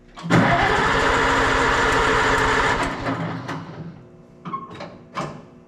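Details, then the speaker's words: Oliver 77 tractor in cold snowy weather, after filing points, no choke as it seemed flooded: cranks and catches into a rough uneven chug that dies within about three seconds, then weak sputters; owner suspects fuel starvation, possibly frozen fuel. "I don't think it's getting enough fuel. It was so cold, the fuel free solid or what?"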